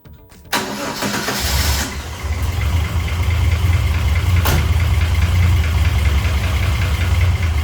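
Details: Chrysler VIP Hemi 245 six, started the next morning after installing an ICE ignition (timing 16° at idle, curve from 1000 to 2900 rpm). The starter whirrs briefly, then the engine catches cleanly into a smooth, even idle; normal.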